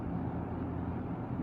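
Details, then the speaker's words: Lakewood S-223 fan running: even, steady whoosh with low hum, slightly louder than the P-223 but with none of its motor rattle; healthy, smooth-running fan. "and this is the SOT 3 running as you can see isn't a little louder than the PT 2 3 but there's no rattle"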